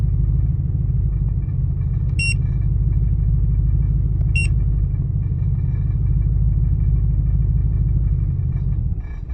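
Deep idle rumble that lopes unevenly, roughly three pulses a second with no steady beat; a rough idle, cause not yet found.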